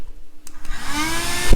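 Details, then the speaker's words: Repaired 25x25mm RC ESC fan after reattaching broken wires to circuit: spins up fast into strong steady airy whir with faint high hum; running normally. "Alright, I'm gonna turn it on. It's probably gonna take off on me. Woo! Look at that. Blowing like crazy."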